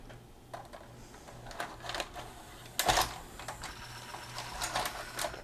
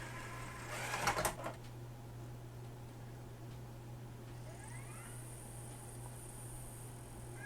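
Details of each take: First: Magnavox ZV427MG9A DVD/VHS in VCR mode: short whirs and clicks as it loads a tape, then a loud clunk and whirring as it ejects; loading motor keeps running and unit shuts down; mode select switch issue suspected. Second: Magnavox ZV427MG9A DVD/VHS combo, after replacing a shorted 220uf 6.3v capstan motor supply capacitor and driver transistor: two faint high beeps over a low electrical hum as a DVD loads normally, meaning it's working.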